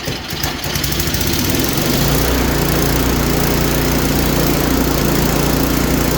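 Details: Craftsman snowblower after new belt and gear lube added (about 10° outside): small engine settles into a steady, even run with no squeak or chirp over the motor; normal running after repair.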